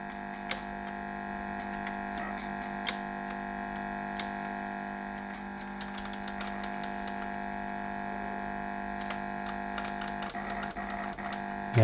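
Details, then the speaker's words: 1987 Sinclair ZX Spectrum 128k +2 on variable supply lowered to about 6.5 volts: steady buzzy tones from the speaker turn fuzzy with crackly clicks, picture and speed unaffected; undervoltage distorting the sound. "you go you can hear it's definitely different but it's still in color it hasn't changed to black or white or anything and the speed's still there so it's just a sound and it's gone a bit more fuzzy"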